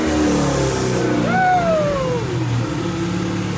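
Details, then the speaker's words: 1967 Chevrolet Camaro with LT4 V8 swap and new exhaust: steady, elevated idle that won't drop, slightly uneven pulse and rough edge, some smoke and vibration; owners suspect the disconnected driveshaft, unconfirmed. "Sounds good. It don't want to drop the idle down."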